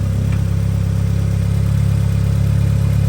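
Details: 1991 Mitsubishi 3000GT VR4 with new full 3-inch turbo-back exhaust, warmed up: deep, smooth, even idle pulse with steady exhaust rumble, no misses or ticks, no smoke; healthy warm idle.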